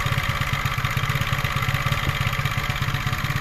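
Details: 125cc four-stroke scooter engine just after piston and ring replacement, new rocker arms, cam timing and valve adjustment (earlier clicking), fresh 0.75 L oil: light regular chuffing idle, no knocking or misfires, running fine.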